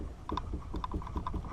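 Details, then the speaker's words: Front sway bar (34mm, 2005–2010 GT) rocked by hand after disconnecting links: sharp hollow clunks about every fifth of a second from hard, worn sway bar bushings, to be replaced. "and hear the clunking when it does move. So, we're going to take these bolts out on both sides and replace this bushing."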